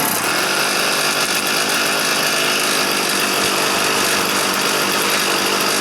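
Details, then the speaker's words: Stihl FS 400 brushcutter that would not start (spark present, plug dry, fuel not reaching the chamber), started indoors with the choke closed: it runs at a steady, thin buzz but won't rev. "і так так завелась але не розвиває оберти"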